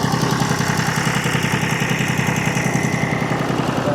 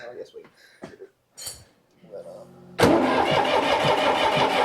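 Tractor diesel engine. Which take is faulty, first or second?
second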